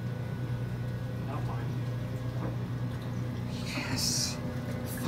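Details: 1978 Kenmore 70 Series washer with new-old-stock motor, belt and pulley, agitating a small load of whites on hot/warm with excess water: low, steady motor hum with soft sloshing, even and unstrained; agitator running normally.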